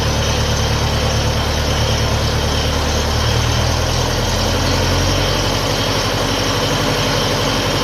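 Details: 1957 Ferguson FE35 TVO tractor, cold start on petrol, fan belt and old water pump fitted for charging test: steady low, even idle with regular beat, no knocks or misses; charging light stays on, dynamo or regulator suspected. Normal idle.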